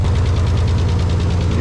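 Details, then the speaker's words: Nissan 300ZX, just restarted after a jump, ignition timing reading about 30–35°: deep, slightly uneven idle with quick light tapping from the upper engine; valve train tapping at idle, hoped to clear once bled. "hear how tappy it is right now see if all that valve strain noise clears up"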